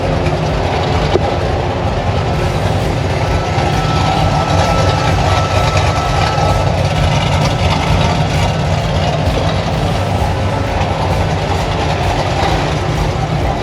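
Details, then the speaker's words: 6.2 LS V8 swapped into square body crawler, running on Holley Terminator X, first run in the vehicle: steady even idle with smooth low rumble, no misses, knocks or hunting; running properly. "running pretty good I'm super excited that definitely put some wind in my sails you know what I mean"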